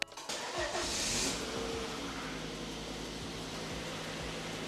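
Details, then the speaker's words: Cheap Volvo just after new coil packs and a battery were fitted: it catches after brief cranking and settles into a smooth, even idle, nearly choked once, with revs higher than the earlier drops below about 1,000. "that sounds nice and smooth."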